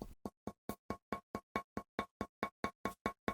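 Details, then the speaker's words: Land Rover Defender headlight tapped by hand gives hollow, plasticky, rattly-ringing taps about twice a second, showing the lens separating from the reflector; this is a check to make before removing the headlight. "give them a tap and see if they sound like this if they do it means that the lens is separating from the reflector on the body"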